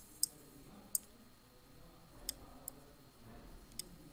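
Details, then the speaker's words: Car relay on a bench demo circuit wired to a switch and a light: crisp single click each time the switch is pressed, over near-silent background, the coil pulling in normally before the light turns on. "the relay will get energized you see the clicking noise you hear the clicking noise and then the light will turn on"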